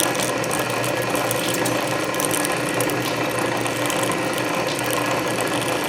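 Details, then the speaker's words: Canedy Otto drill press with freshly re-laced belts, drilling under power feed at low speed: steady low-speed grinding and gear chatter, even, no snatching or squeal; cutting normally. "you just turn it in the direction of rotation and you can hear that clicking that's that ratchet and you can see it Advance faster if you look at the graduations here"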